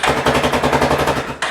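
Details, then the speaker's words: Yamaha 450, 7-year-old battery still showing 12–13 V, starter button pressed: rapid machine-gun clicking about eight to ten per second with no cranking; solenoid chattering, owner suspects weak battery can't hold solenoid in. "It tried to start, but now I'm getting a click. So you would think that that would be the solenoid."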